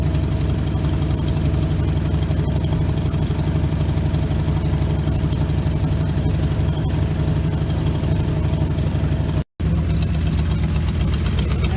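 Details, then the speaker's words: 1957 GMC 370 fire truck, original Pontiac 347 V8 with 6,625 miles, previously seized after sitting 20 years. Restarted while being heated to free stuck rings; carb needs a rebuild, water steaming off. Deep, steady rumble with no misses. Normal idle. "Even idling now. That's good. Working itself back running again now."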